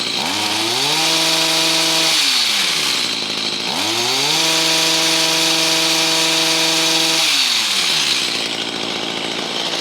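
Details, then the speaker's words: Stihl HS45 hedge trimmer two-stroke with a replacement HIPA carburetor kit, in about 90°F heat, restarted without choke or purge. Revs climb cleanly to a high buzz twice and settle back without stumbling, running normally. "But yeah, it runs good now. It's starting right up, and we had good throttle response after about a good minute,"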